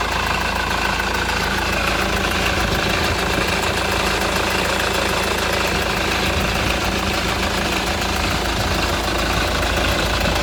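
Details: Honda Accord CN1 2.2 CTDi diesel at idle: steady idle with a loose, irregular clatter running through it; abnormal engine noise, source unclear.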